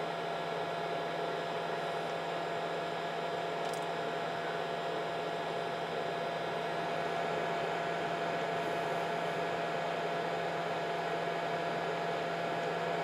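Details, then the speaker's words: Nyko PlayStation 4 Intercooler add-on fans running on a PS4, speeding up as console heats during gameplay: steady airy fan rush with fixed high whine and low hum; small fans loud but working normally. "especially during a lot of gameplay these fans speed up pretty quick and get pretty noisy"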